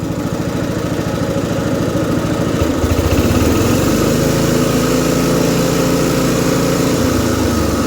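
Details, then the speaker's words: About 50-year-old MTD ride-on mower single-cylinder engine, burns oil, after driving forward: settles into even low idle with steady beat, no hunting; dead flat normal idle. "Forward. Everything operates there nicely. That's dead flat idle."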